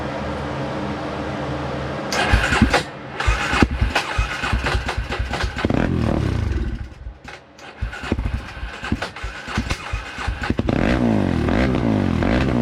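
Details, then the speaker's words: 2003 Polaris Predator ATV, first run after rebuild: catches and runs rough, lumpy and stumbling with lazy revs, smoky; super rich running, owner unsure whether it needs a float adjustment. "We got smoky in here. This thing's super rich running. I don't know if it's needs a float adjustment or what just yet, but it fired, so we want to hear it actually run."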